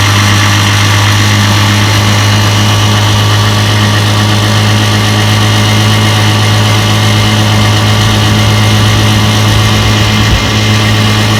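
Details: Restored 1958 5.5 hp Evinrude two-stroke outboard, warm, pushing a 14-foot John boat about 7 mph: steady, even buzz with firm low drone, no misses or knocks; running clean.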